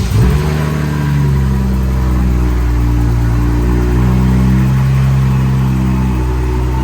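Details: BMW N55 turbo six on a flex-fuel E85 tune with a Beamer Haas intake; owner has had trouble holding boost and is fitting an M2 diverter valve. It catches and settles to idle with a strong intake howl rising and falling smoothly with revs; runs healthy.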